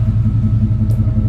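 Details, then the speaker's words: 1988-95 GM fullsize truck after setting ignition timing, about 2° estimated, loose distributor retightened: steady low exhaust rumble, even idle beat, less valve tick; previously sluggish, now idles smoothly, normal idle. "But you hear it, you hear the exhaust tone. It sounds better. A little less valve stick."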